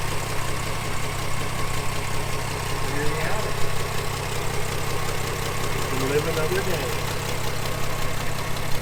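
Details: 1979 Plymouth Duster barn find, automatic, V-belts, first start after sitting: steady, even idle with smooth low rumble, no knocks or misses; engine running healthy.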